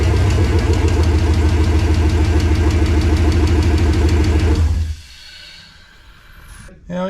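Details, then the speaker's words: 1986 Chevrolet C10 with LS V8 swap, first start after adding oil, coolant and fuel, no exhaust fitted yet: loud even idle with open-header pulses, no knocks or ticks, no leaks, shuts off cleanly; healthy. "leaks started right up what a feet now we gotta get some exhaust on the damn thing"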